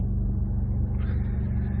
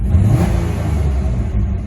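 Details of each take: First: she's running really good extremely smooth no tickety-tick Second: Ex-military GM auction vehicle with a fuel-cutting theft-deterrent system: the engine swells under throttle but falters unevenly, a hesitation with a little popping; owner suspects bad plugs or a very dirty air filter.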